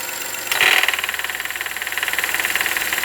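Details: 2017 VW Voyage 1.0 three-cylinder, 37,000 km, idling: a rhythmic clatter of about four pulses a second appears once the air conditioning switches on; cause undetermined.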